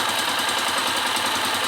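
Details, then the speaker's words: 2002/2003 KSZ single-cylinder motorcycle after an engine rebuild with new bearings, cylinder top end and connecting rod parts; busy, even idle with no knock, plus hiss from a small hole in the exhaust pipe. "mas o motor em si tá tá legal tá ficou Ficou zerado era só rolamento"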